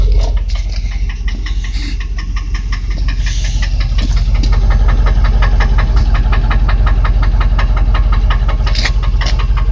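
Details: Land Rover Discovery idling warm after 30 minutes of running without overheating: sharp, even ticking at nearly three per second over a steady idle; suspected exhaust manifold leak, not confirmed.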